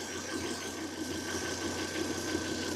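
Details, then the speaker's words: Volvo with new spark plugs and coils, scanner suggesting cylinder five: idling petrol engine with uneven beat and occasional stumbles, misfire caught on cylinder three during scope testing. "Miren, el Mi fire está ocurriendo en este momento."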